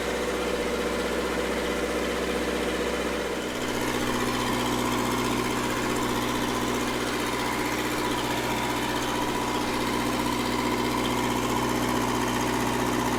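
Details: Red-D-Arc D300K welder generator, Kubota V1902 four-cylinder diesel, restored, after new 220 outlet wiring, left running a while: steady, even drone with constant note after a brief settle, no knocks or misses; normal running.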